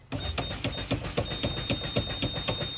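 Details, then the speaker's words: Air brake 3-point check on a truck: brakes fanned down from below 90 psi to 60 psi, where the low-air warning light and buzzer come on; fast buzzing pulses, nearly four a second, over a thin steady whistle; the low-air warning is working. "Sir, at 60 psi, my warning light and buzzard came on. You guys can hear it and see it, can't you?"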